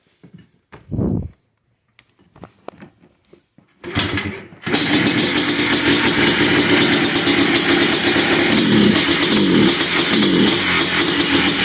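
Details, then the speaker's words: 2005 Yamaha Blaster two-stroke with a no-rev bogging fault: a few cranking attempts, then a raspy drone that won't climb cleanly and stays bogged, with the bypasses still in place; the TORS circuit is malfunctioning and not fully closing. "if I turn this on right now it would do the same bogging sound in fact I'll just do it to prove it to you"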